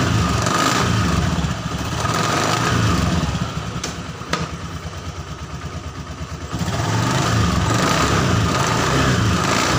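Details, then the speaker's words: Honda Scoopy FI scooter, CVT test after fitting a replacement drive belt of the wrong size: rough rattling grind that swells with each rev and eases at idle; rough noise reduced but some remains, clutch next to be checked. "Nah, untuk suara geredek kasarnya atau suara kasarnya itu sudah berkurang ya teman-teman. Tapi masih ada sedikit."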